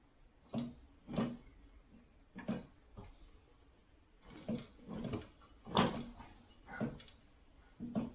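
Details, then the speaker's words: Old Briggs & Stratton mower engine, unused since the 1990s and previously stuck, original spark plug removed and cylinder oiled, turned by hand: soft regular air puffs about once a second with little push; low compression. "okay yeah there's not a great deal of compression in this machine"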